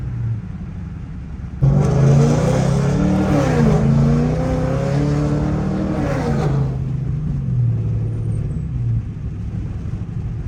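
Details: Pontiac G8 GT V8 automatic, accelerating under load: revs climb, then flare up briefly and sag during the gear change; transmission shift flare the owner says worsened from hard driving; replacement transmission already bought.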